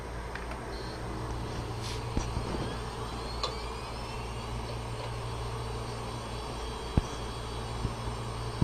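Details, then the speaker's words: Western Digital hard drive after head replacement, powered up on an imaging station for cloning: quiet, steady whirr with a faint high tone and no more clicking; drive spins normally. "and you'll notice there's uh no more clicking at this point"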